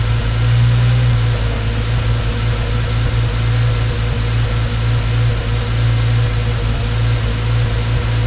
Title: Random misfires